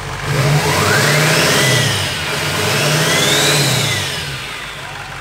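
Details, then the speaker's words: Duramax diesel swapped into a K20 truck, first start with a new 65 mm turbo: engine blips up and settles twice as turbo whistle rises and falls, no rattle or grind; healthy revving. "she sounds good buddy she sounds good"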